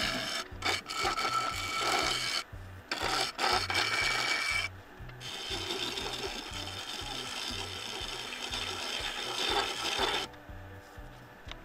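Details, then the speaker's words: Turning a claret ash bowl on the lathe: rough, raspy scraping comes in strokes as the tool rides the spinning wood, showing the tool edge is dull and needs sharpening. "that noise is another sign that I need to sharpen my"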